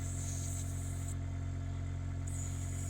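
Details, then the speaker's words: Ultra-Vac vacuum pump with small nozzle tip, checked before cleaning wax from an older CIC hearing aid vent; steady, even low hum with constant pitch, no knocks or rattles, running normally. "So put the vacuum on there. You can hear the vacuum pump there. Just check he's working, and then we go to work just cleaning out any wax or detritus that's found its way inside."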